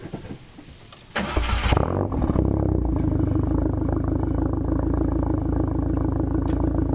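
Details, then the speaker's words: Turbocharged daily driver after repair, idling: a part at the turbo that had backed out was refitted with Loctite to cure the exhaust and boost leak. It cranks, catches and settles into an even idle with no ticking or puffing, and sounds better. Normal idle. "good yes I don't hear it let's go all right I'm going to go for a quick drive make sure this thing's driving good oh immediately it sounds better"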